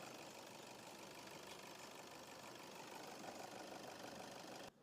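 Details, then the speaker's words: Toyota Innova diesel after replacing a faulty three-socket injector driver (EDU) with a used unit, which cured idle vibration and check engine light: quiet, even idle with light steady clatter, no shaking or stumble; normal diesel idle. "तो ये अपना पूरा vibration बंद हो गया। Engine एकदम silent हो गया। ये पहले ऐसा हिलता था। अभी हिल नहीं रहा है।"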